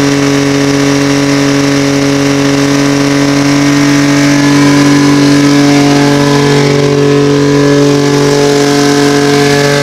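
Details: OMC Johnson 175 hp two-stroke outboard under full load on a dyno: steady, flat drone held at one reduced speed, never climbing; the power pack was sending the motor into slow/limp mode, not fuel starvation as first suspected.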